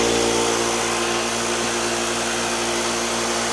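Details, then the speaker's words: Vevor 6.3 gallon air compressor, new, first run filling the tank: even mid-pitched drone holding steady with no hammering or knocking; definitely quiet, compressor running normally. "I can tell you this it's it's definitely quiet Tech"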